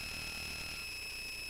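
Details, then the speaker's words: Bare Conductive Touch Board audio output: constant thin high-pitched tone and buzz over low hiss; source not pinned down, unconfirmed. "all right and I'm going to meet that because that is a very annoying sound and I'm not quite sure"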